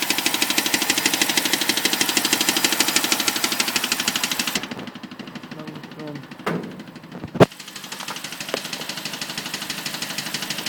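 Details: BMW 545 V8 at idle: a sharp, steady clicking of about three per second rides over the engine note.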